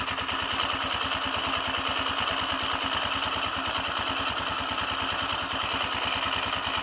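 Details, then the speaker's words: AKT TTR 200 motorcycle at idle: fast, loose clatter on each firing pulse that stops when the clutch lever is pulled, worse when cold; clutch-related rattle, cause not yet identified after service. "empecé a escuchar un ruidito y me di cuenta que ese ruido se quitaba cuando uno oprimía el embrague con un oprime el embrague cuando no primera el embrague el ruido se iba"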